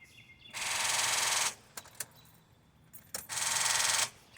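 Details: 1999 Honda Accord EX 3.0L V6 with recently replaced battery, starter and fuses: two bursts of fast, buzzing clicks on each key turn, no cranking or catch, dash warning lights on; no-start, owner suspects alternator or electrical fault.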